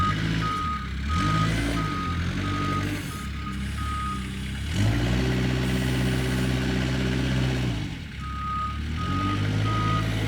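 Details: Kubota 520 hydrostatic wheel loader, tested at the pile after a wiring-harness repair for being stuck in low range. It backs up smoothly under a steady diesel drone, with the reverse alarm beeping evenly about four times a second; the drive sounds healthy.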